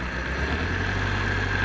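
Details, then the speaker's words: Petrol engine on a training demo with one injector deliberately disconnected and the check engine light on: it idles roughly, trembling and vibrating with an uneven, lumpy beat from the dead cylinder. "tiemble el motor y vibra no y se escucha el sonido tal y cual cuando falla un vehículo en la vida real"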